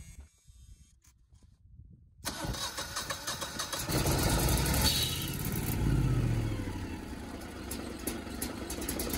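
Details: Brand-new Generac 24kW standby generator, first-ever manual start with oil checked and likely air in the fuel lines: long steady cranking at about three beats a second before it finally fires and runs; an error code showed after starting.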